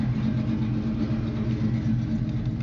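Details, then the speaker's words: 1979 Chevrolet pickup, 383ci V8: deep, even idle with steady lumpy pulses, no knocks or ticks; healthy idle. "bon ben voilà on va arrêter là le bruit est joli he magnifique hein ralenti déjà ça"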